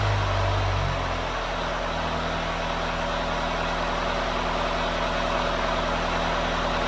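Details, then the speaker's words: Swinger 3000 diesel after exhaust manifold and muffler repair: steady, muffled idle with even low rumble and no exhaust rasp, much quieter than before the repair; normal idle. "So, compared to what it had sent like before, that's a big difference."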